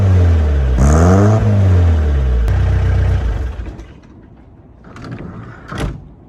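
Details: Peugeot J9 van, 40 years old, just after a cold start with a new homemade stainless exhaust and silencer: clean rising and falling revs with a crisp rasp, no rattles or blowing, smooth drop back; normal healthy exhaust note.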